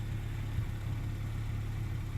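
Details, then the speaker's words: Mk1 Renault Clio RN 1.2 D7F petrol engine on a mild ~10–12°C evening, just started after immobiliser unlock: quiet, even low hum with steady idle, no hunting or surging; normal idle despite earlier suspected idle control valve problem. "Yeah, that's all good. So it sounds fantastic."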